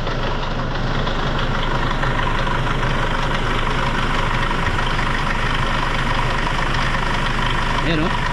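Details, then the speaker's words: Hyundai Starex D4CB diesel, hood open: a metallic slapping rattle from the front of the engine that grows when the throttle is blipped; the mechanic's verdict is a noisy timing chain. "Sobrang ingay mga boss. So ang hatol ko dito mga boss, timing chain."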